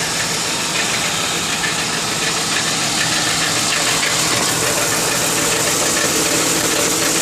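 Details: 2002 Lincoln Town Car at idle with an even knock about three beats a second and a tinny edge from underneath. It goes away when driving, with oil and temperature fine. The cause was the driver's side catalytic converter; replacing it stopped the knock.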